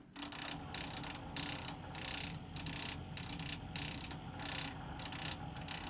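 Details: Navien CR-A 240 tankless water heater installed 2010, drained with filters cleaned: quick uneven clicking, about 1.5 per second, apparently from the inlet flow adapter/flow adjustment valve pipe; cause unconfirmed.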